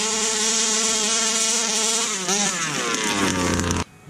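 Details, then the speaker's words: Fifth-scale 2-stroke RC car (Baja 5) engine deliberately lean-tuned: thin screaming high buzz that holds, wavers and sags; too much air, fix by opening low-end needle about a tenth turn. "i got stars so what is happening here actually it's getting too much air so all we need to do is add more fuel"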